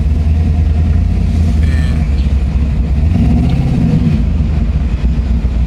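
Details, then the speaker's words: LS V8 Cutlass driving under acceleration: a deep note pulling hard but with choppy, uneven pulses, skipping. Misfire under acceleration, which the owner attributes to an arcing spark plug that needs fixing. "I don't really like the way it sounded. Still pulling and stuff, but it ain't running like it want to. It's skipping, so definitely got to get that fixed."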